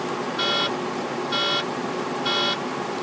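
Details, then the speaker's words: Truck cab while driving: a repeating beep about once a second, each tone about a quarter second, recurring on and off for three weeks; the mechanic found no fault and suspects a bad sensor; intermittent warning beep, cause unconfirmed. "my truck has been doing this just the third week doing this off and on and i've written it up every day i even got the mechanic about it he says he can't find out what's wrong he can't find nothing"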